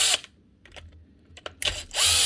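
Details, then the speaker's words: Power tool motor sparking while running with broken switch, wired forward only; sharp whirring bursts with stuttering gaps as it goes up and down through speeds, brushes warm not hot; speed fluctuation, switch suspected. "motor sparking when running and she goes up and down through the speeds so that's never going to be a good sign"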